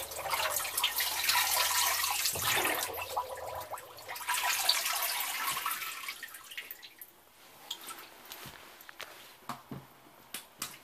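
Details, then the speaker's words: LG front-load washer: water runs and splashes, then settles into irregular drips with a pressure hiss from the leaking drain pump seal. "there it is that seal on the pump is leaking see it dripping you actually hear it hissing pressure"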